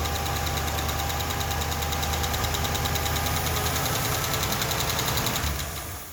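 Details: Ford LTD started with valve covers off to find the clacking, after draining milkshake oil from the front plug and adding oil: light ticking about three per second over a rough idle. Top-end tap suspected, source unconfirmed; oil still foaming up milky.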